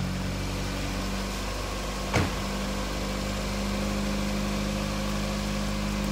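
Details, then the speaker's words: Toyota Starlet EP70 small turbo petrol engine, just finished turbo upgrade with thicker-core radiator, not yet tuned, after start-up: idle is super smooth, even steady low hum with one brief click; normal smooth idle. "there we go idle's super smooth but the coolest bit of the car is when you rev it doses well"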